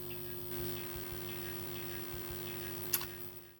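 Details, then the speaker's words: Cheap audio amplifier driving a pair of speakers, amp unit swapped for a second one: steady low buzz with faint ticking under faint music from only one speaker; same distortion persists, cable or speaker suspected. "uh old guy new guy same setup same Distortion coming out of just the one speaker"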